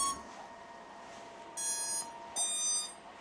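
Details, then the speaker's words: Small 4-inch FPV drone on 4-cell battery at power-up, prop guards removed: two clean high ESC beeps, now in sync after earlier delayed separate beeps suggested ESC trouble. Normal ESC startup. "Okay, that was better. That was better."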